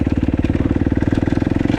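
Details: 2015 Kawasaki KX250F fuel-injected four-stroke single, after an intake valve clearance job fixed its no-start. Quick, even thumping idle holds steady with no misses or mechanical clatter; idling cleanly and healthy.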